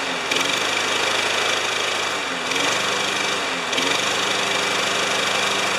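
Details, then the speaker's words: Spare lawnmower with a Briggs Quantum engine at 3160 rpm after its carb jet's vertical hole was enlarged one size, the blade sharpened and the plug cleaned: steady, even drone with no hunting; the earlier surging is gone. "that doesn't surge anymore although you can just hear it in the background but don't forget guys this is a spare lawnmower and it's revving at 3160."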